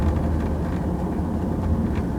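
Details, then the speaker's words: 2001 Jaguar X-Type test drive on a lumpy lane after replacing left rear shock absorber: steady low road rumble with no banging or crunching from the rear; normal rear suspension, right side still somewhat noisy. "it sounds like it's done the job is chucking it around our little lane can't actually go very fast down there it's very lumpy and it gives a good approximation so every terrain being about a mile and I'm just not getting that banging noise anymore that is so pleasing"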